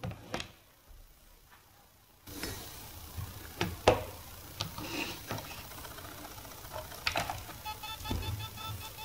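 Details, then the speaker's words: Laptop hard drive in an external case, failed after a year and a half: scattered clicks then fast repeating buzzy ticking as it fails to spin up; stuck head suspected. "it seems that it cannot spin correctly it makes a sound like it's not spinning so I think that the head is stuck"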